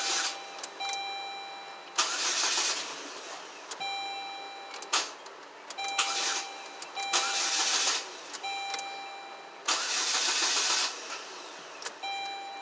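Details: 2007 Saturn Ion 2.4 Ecotec, intermittent crank no-start with code P0336: repeated one-second starter bursts with a dash chime between them, and the engine never fires; faulty crankshaft position sensor.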